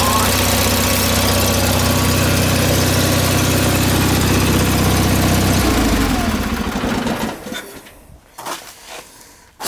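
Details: John Deere 318 twin-cylinder engine running; steady regular beat at constant speed, then winds down smoothly and stops; runs cleanly.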